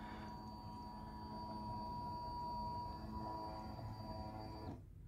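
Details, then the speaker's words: Peugeot 306 S16, 235,000 km, ignition on after replacing the in-tank fuel pump/gauge module; steady even electric hum for about four and a half seconds re-priming the system, then cuts off cleanly; new pump quieter than original; normal priming. "je mets le contact je devrais entendre ma pompe voilà donc là il tourne un moment parce qu'il faut qu'elle réamorce tout le système"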